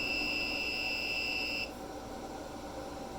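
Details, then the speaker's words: Reliable 1500 W pure sine wave inverter running a 5000 BTU window AC from four Panasonic 36V ES200G scooter packs: steady high-pitched beep over hum when it jumps to 120, battery about .32 V, after 2 h 12 min; inverter low-voltage alarm. "Okay, started getting some kind of an alarm. Out of this pure sine wave inverter."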